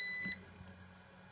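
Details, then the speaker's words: Opus BT-C3100 v2.2 charger after a leaking cell spilled electrolyte under the input connector and the unit stopped powering on: a multimeter continuity beeps across the charger input, showing a short. Cleaning later gave 16 ohms. "то у нас КЗ зараз оце все я очищаю"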